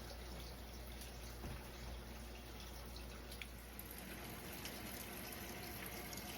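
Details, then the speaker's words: Whirlpool top-load washer that stopped filling after a storm power loss (home on a well), run on normal, tap cold: faint water valve hum with gentle steady water trickling in, lid closed; fill valve opening normally, normal water fill. "we can still hear the faint hum of the water valve open, electrically open, and you can actually, I can't open the lid, but we can actually hear the water flowing."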